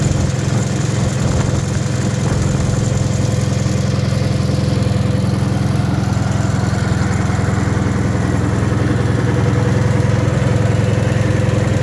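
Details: Wisconsin THD air-cooled twin on the bench, fitted with a flush head that tucks into the shroud; steady, even low thumping at a settled idle, no knocks or ticks; the head makes it quieter; normal running.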